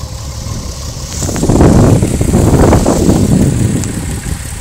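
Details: VW VR6 12V at idle, misfires on cylinders 2, 3, 6 (mostly 3); coilpack, plugs, wires, coolant temp sensor, purge valve already replaced; uneven lumpy idle, shaking, check engine light blinking; runs smoothly when driving; rough idle misfire.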